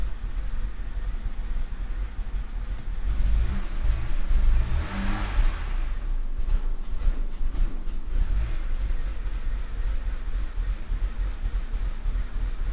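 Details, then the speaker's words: BMW E60 (Copart car) with replacement eBay ECU after water-damaged original: idle rises and sags unevenly, surge mid-clip then wandering, tach erratic; only pending codes O2 heater bank 1 sensor 2 and unplugged ambient temp sensor; cause not pinned down. "And that's all we got. It's still idling weird though. Look at the tack."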